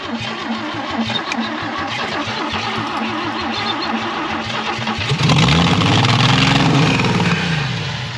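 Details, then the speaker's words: 1966 Chevy Biscayne straight six sitting 20 years, first start with only 12 V to the coil, choke on, gas pumped: strong, even cranking about five seconds, then it catches and surges into a rough, rising idle. "Works. Man, that starter's champ. Man, that's $1,000 starter."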